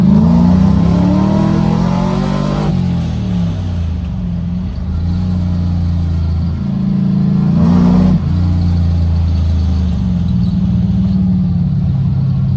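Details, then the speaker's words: LS V8-swapped Mazda FC RX7 drift car, not driven in a while, under acceleration on repeated pulls down the street: deep V8 rumble climbing smoothly, steady even firing, no knocks or misses; drives really good, healthy engine. "and all was well this thing honestly drives really good for being like a full-on drift car"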